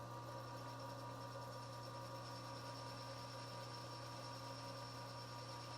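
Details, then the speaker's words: Lathe facing a pivot bushing under auto power feed: steady hum with faint rhythmic wah-wah as the tool takes an interrupted cut on the uneven top surface, stopping once the face is evened up. "you can hear that wall that wa it's because it's not even this is evening it up okay and so when you you hear it quit making noise it's because i've come off that now"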